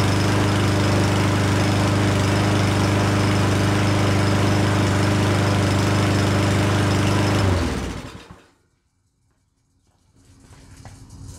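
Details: Certified self-propelled push mower that sat over a year, running after a spray into the carb throat: pops along with a slightly uneven beat for several seconds, then dies away; rough running.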